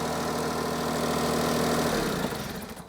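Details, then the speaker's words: 2011 Smart ForTwo 451 started for 30 seconds right after fitting a new genuine Smart exhaust, part A1324900015. Steady, even idle with a smooth low burble and no rattles or puffing leaks, then shut off; sounds better than the old rattly, blowing exhaust. "that sounds a bit better that sounds better yeah yeah that's what I do mate just I do just to let things settle"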